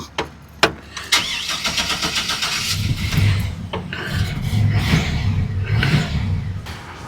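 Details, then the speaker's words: 2003 GMC Sierra, off the road since 2022 registration, on a newly hooked-up battery: long stretch of uneven cranking pulses before it stumbles and catches; hard start, cause suspected not confirmed. "It's got a startup problem, but I think we can fix all that. But now it's running."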